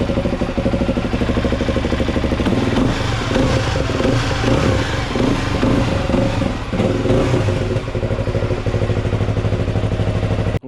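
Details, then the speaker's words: Suzuki DRZ 400 SM single-cylinder, cold start after crankshaft replacement and full engine rebuild: steady even thump at a fast cold idle, no bottom-end knock or rattle. It sounds much better and clean. Normal cold-start idle. "je trouve que le le son en tout cas de la moto elle sonne beaucoup mieux"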